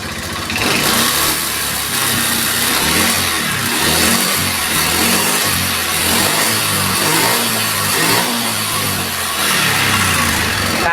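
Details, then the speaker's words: Honda Beat ESP scooter at steady revs: a harsh, rattly clatter over the engine with thin smoke; teardown pointed to the piston and cylinder block, plus valve seals and gaskets. Piston slap. "ini kedatangan Beat ESP ya suara motornya bener-bener mengerikan guys pasarnya nggak umum ya parah banget dasarnya"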